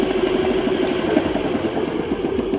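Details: Homemade electric scooter from cheapest spare parts with new controller and homemade battery, riding in gears of 14, 22 and 30 km/h; steady mid-pitched hub motor whine without surges or rattles, spinning smoothly and healthy.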